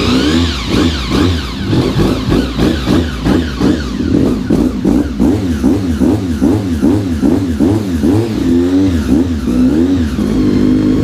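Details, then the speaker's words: Honda RC45 RVF750 V4, first start after new spark plugs (old ones very bad) and injectors tested leak-free: fires up and takes repeated sharp blips two or three a second, clean and even; running healthy. "she is back sounding good"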